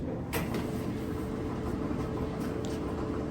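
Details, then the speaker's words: Clothes dryer making a wobbling noise: drum rumbles steadily as it spins, with occasional dull knocks cutting through. "yeah you can hear the knocking wobbling now uh as the drum is spinning so we're going to get down to the nitty-gritty and see what's making that noise"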